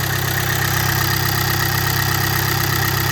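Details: VW Amarok, bought with a broken timing belt, running with the engine light on: loud engine with an uneven, lumpy pulse at a steady speed; running rough and the timing sounds off, owner suspects a sensor, unconfirmed.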